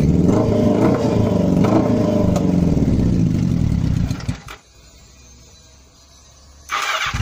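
Engine catches and revs hard with a steady firing beat for about four seconds, then drops away quiet before picking up again; sounds healthy.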